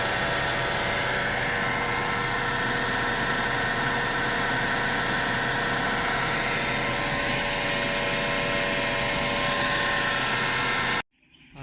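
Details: 2017 Toyota Fortuner idling with a steady, even hum of several fixed tones from the accessory belt area.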